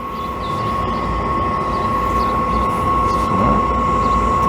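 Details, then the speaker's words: RV travel trailer propane appliance, unused for a couple of years: after the fan starts and a short delay it strikes once air clears the line, then a steady, even roar with a faint constant whistle and no sputter or surging. Burner lit and running cleanly. "i hear it striking as soon as the air gets out of line there we go can you hear it sounds like a little miniature jet engine"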